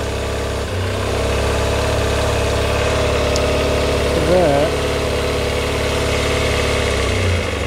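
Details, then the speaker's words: 1990 Kawasaki ZX250 after rebuild, cold on partial choke, with one slide swapped between carbs to test: it catches into a slightly uneven, wavering idle. One carb's vacuum slide bounces and wobbles, unsettling the idle. "if you guys can see there as you can see this vacuum slide on that carburetor there's bouncing up and down and wobbling around"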